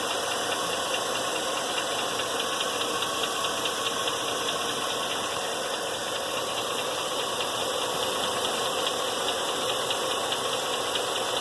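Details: 2000 Chevrolet Silverado, LM7 V8 at idle: light, fast valvetrain ticking over a hissy idle, steady regardless of load; rocker trunnion bearings already replaced without fixing it, owner suspects a failing lifter; cause unconfirmed.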